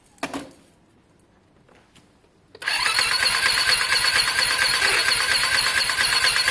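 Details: Lexmoto Diablo 125cc moped bought for parts, fully charged battery: starter cranks fast and even, about two turns a second, never fires, no compression thump, "close to firing up"; oil found.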